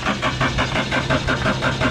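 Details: 2013 Scion FR-S, key missing its immobilizer chip: starter spins the engine in quick even pulses about six a second but it never fires; good compression believed, chipless key suspected.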